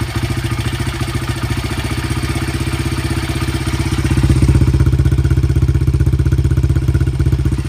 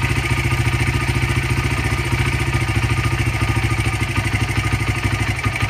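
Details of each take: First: 2013 or 2015 Honda CRF80 idle after turning the air mixture screw one turn from the factory two-turns-out lean emissions setting, which made it miss: small single with an even, steady pulse about four beats a second, no skips; much more stable normal idle. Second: 2015 Honda CRF80 slightly warmed up, idle mixture screw turned fully in: lumpy, uneven idle pulsing about 107 times a minute and sagging toward stalling; lean rough idle.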